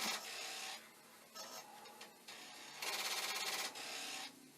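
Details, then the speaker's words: Commodore 1541 disk drive with rear DIP switches, after many attempts to initialize or read a disk: bursts of dry rapid rasping and buzzing, about three per second, stopping and starting as it retries; disk drive read failure noise. "so i have been torturing this destroyer and we're now up to 1500 i'll report 12 times that it has tried to initialize or you know read a dish and it's not going well"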